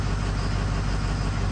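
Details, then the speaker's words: Circa 2005 Ford F450 6.0 diesel wrecker (studded, EGR-deleted, previously "bulletproofed"), low fuel pressure and dirty filters, contribution code: at idle, rough uneven lope, injector 5 switched off gives no idle change and fails buzz test, cylinder five dead misfire. "Actually, let's go down here and turn injector 5 off. no change in the idle whatsoever."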